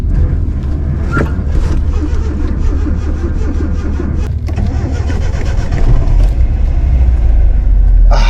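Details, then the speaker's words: 1985 Nissan 720 pickup, dead in a field, battery swapped and fuel added, driven home without slave cylinder: cranking catches into rough uneven surging idle that falters; engine dies coasting and won't stay running, though it revs. "Coasting up. Oh, it died. It doesn't want to stay running. Ah."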